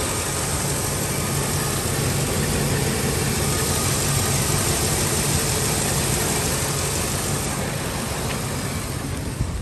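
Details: Ford F-350 5.4 on cold start, no service engine light: deep, loud V8 idle with a faintly uneven beat and slight swells, hunting and trying to cut out; a broken intake air breather part is then found.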